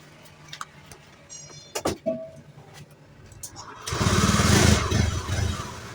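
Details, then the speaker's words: Honda Beat FI (ACG starter) scooter that stuttered (brebet) when pulling away, with a 7-blink indicator code that wasn't the real fault; road test after repair, through slow, medium and full throttle: pulls cleanly and responsively, no stutter. "Wah, mantap ya. lebih responsif sekarang tarikannya tidak ada yang namanya berbet-bet ya."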